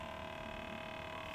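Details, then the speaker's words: Sony WM-F77 cassette Walkman (c. 1986) in tape playback: constant mid-pitched hum with fainter tones above, unchanging; fast forward and rewind also dead, owner suspects the motor band needs replacing, cause unknown. "I get this weird hum."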